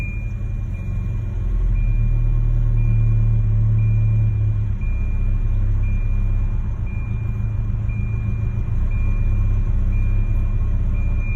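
Deep, low idle rumble that surges and dips slightly instead of holding even, a rough idle with no clear misfire beat.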